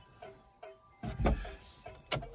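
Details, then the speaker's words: Triumph TR7 under restoration, first electrics check, right indicator switched on: light regular clicks a few tenths of a second apart from the flasher unit while no indicator lamps light front or rear; owner unsure whether bulbs are gone. "Okay, so I don't seem to have any indicator light coming on."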